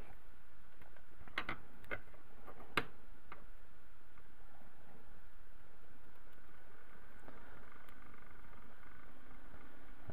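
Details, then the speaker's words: MFJ-4125P switching power supply with a junk-box replacement cooling fan (2 in hole spacing), bench-tested unmounted: steady airy whoosh and faint hum, about as noisy as the failed original; louder once mounted to the chassis. "this one's a little noisier this is actually closer to how noisy this original fan was and it was a little noisy for me"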